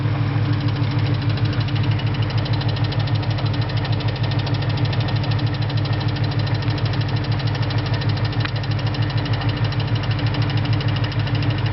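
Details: 2001 Mustang Cobra V8 at idle: crisp regular clicking a bit over three per second over a smooth rumble. Owner suspects the throwout bearing, unconfirmed.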